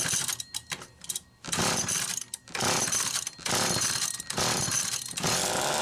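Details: McCulloch Power Mac 6 chainsaw, two-stroke, cold start after 24 hours sitting following carburetor kit rebuild, lots of compression: fires and revs in rough uneven bursts with short drop-outs; cold engine catching and running.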